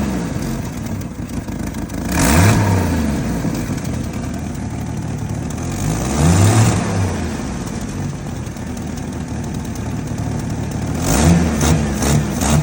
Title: 1989 jeep wrangler yj 4.2 liter rough idle need advice #jeepguy